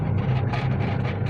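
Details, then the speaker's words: Washing machine after repair, now working; motor checked and fault not in motor: steady even low hum, no knocks or scraping, motor runs smoothly. "Berarti ini bukan dari mesinnya, mesinnya masih bagus sebenarnya. Ini mesinnya udah saya cek ya. Suara mesinnya masih halus."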